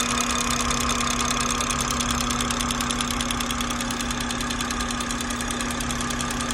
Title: B58 loud ticking noise